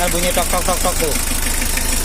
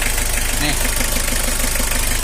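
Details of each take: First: L300 diesel idling just after adjustment, not revved, smoothing out the longer it runs. Fairly even low clatter with steady pulses and no harsh knocks. Normal idle. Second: L300 diesel suffering thick smoke, rough sound and weak power, at idle. Rough, uneven clattering with hard knocks about three to four a second.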